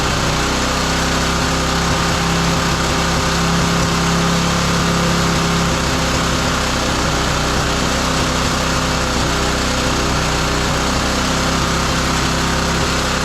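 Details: Roadside-salvaged small lawn mower engine for the Tommy Gun mini bike; it runs raspy and a bit unsteady at fairly high speed. The carburetor adjustment screw is found turned all the way in, and the carb gummy, possibly needing replacement.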